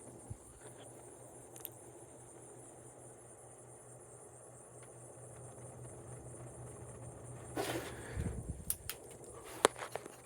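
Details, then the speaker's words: 1993 Heritage-made 42-inch Windsor and Browne Cambridge ceiling fan, new old stock, on high speed after an earlier ticking was stopped. Low steady hum with even air rush, no knocks or wobble. Normal operation. "as you can hear it does actually put out an okay amount of air on high not totally worthless it's good for a small spot"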